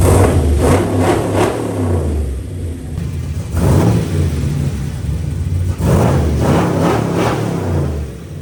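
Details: 1939 chopped Chevy hot rod with 6.2 V8 swap: big V8 catches and is blipped, revs rising and falling smoothly with deep even burble; fresh engine running normally.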